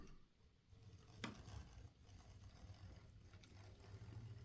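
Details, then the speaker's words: Hornby R.398 Flying Scotsman, 20-year-old tender-driven model at full power: faint, uneven low buzz with irregular gear ticking, barely running backwards and not forwards. "so yeah it's kind of running backwards but not very well and certainly not running forwards"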